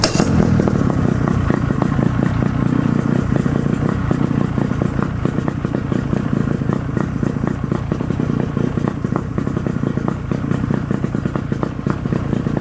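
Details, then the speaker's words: Force 50hp outboard on a Bayliner after service with new plugs, impeller, fuel filter and starter: restarts straight away, steady even beat with crisp regular pulses, no misses or knocks; healthy running. "I'm going to start it up again starts right up I'm surprised check this out runs really nice here"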